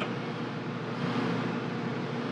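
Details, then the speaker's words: Amana dryer, timer set and started: steady, even motor hum with no tumbling or thumping from the drum; the drum is not spinning, and a broken drive belt is replaced. "that should be spinning right now round and round and round we go but it's not so here we are"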